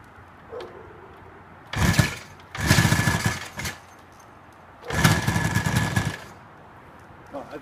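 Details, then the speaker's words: 1972 Kawasaki H2 two-stroke, sat in a garden 20–30 years, first start after partial restoration; three short bursts of raspy revving with quiet gaps: engine running. "I think it's good enough. It did start."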